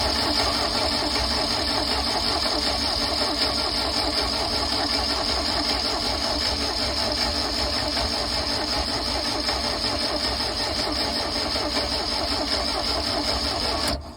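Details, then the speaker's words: 1983 Galaxy boat engine, which had RTV as a head gasket and no compression, run with the distributor being adjusted and valves clicking: fast, uneven, hunting beat before cutting off. Rough running, suspected too much fuel. "it's getting too much fuel"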